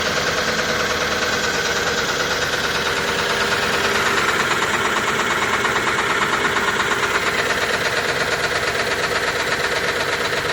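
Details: 2005 Range Rover with BMW M62-family V8: timing chain rattle, a busy steady metallic chatter over the running engine. Timing fault persisted after new VANOS, chain and tensioners; oil-filter particles clogging the two VANOS check valves starved its oil supply.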